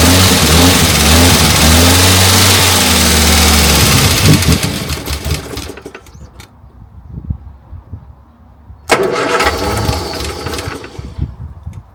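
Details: Morris Minor 1000 after a long break, spark plugs just done, battery boosted: engine catches, runs unevenly with wavering pitch, dies, then another rough crank burst, hard starting; cause not confirmed.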